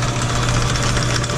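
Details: Sidney Machine Tool lathe, about 100 years old, running through its speeds. A constant low motor hum with an even, unbroken drive note and no grinding or knocking; it runs fine.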